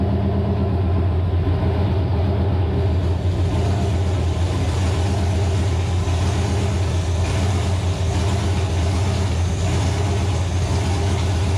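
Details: Nova engine, first start after six months of troubleshooting: loud, steady, deep exhaust drone with an even beat and no misses or knocks. Runs smooth and healthy; a gauge suggests a possible wiring issue.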